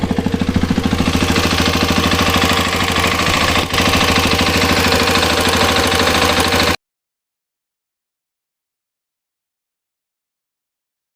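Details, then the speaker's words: Hero Xpulse 210 single-cylinder motorcycle around 2,800 km: loud coarse tractor-like clatter and ticking, tappet noise from a faulty cylinder head, which was later replaced under warranty. "ಟ್ರ್ಾಕ್ಟರ್ ಟ್ರ್ಾಕ್ಟರ್ sound ಇದೆ"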